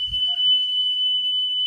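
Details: Car radio cassette deck after drive motor repair and speed adjustment to about 3 kHz test reading; clean steady high test tone holding without wavering or drifting; steady playback speed.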